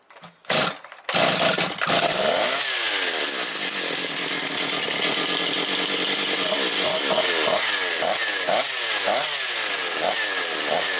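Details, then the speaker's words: Motor Sich 475 two-stroke saw, freshly rebuilt, run without air filter; catches and idles, then revs sag and surge, choking toward stall; runs fine only when blipped, owner blames the non-original carburetor. "Подивіться вона роби на холостому і вона зараз заглохне зараз потихеньку попрацює і скине оберти"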